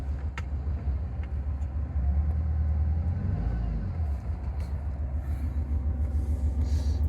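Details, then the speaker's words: 2009 BMW 320d diesel possibly parked nine or ten months, down on power, code for cylinder 3 injector activation: after codes are cleared, a lumpy, stumbling idle and the engine light returns; the misfire is still present. "And obviously we get this engine light in the center display. Misfire is obviously still present."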